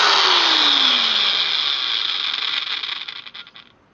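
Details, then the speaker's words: Utility trailer build power tool gearbox after adding grease: a high whir winding down smoothly with no grinding, which was heard before greasing; gears now running normally. "Wow, I could hear the before I would hear the gears kind of grinding together a little bit. Now I got the grease in here, it just"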